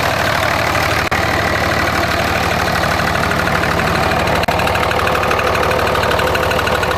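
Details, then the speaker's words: 2004.5 Ram 2500 Cummins diesel: hard regular knock about three per second over the idle; heard under load in gear, stops when put in park, returns in reverse; cause not pinned down. "Under load. And it just stopped when I put it in park. I don't hear it anymore."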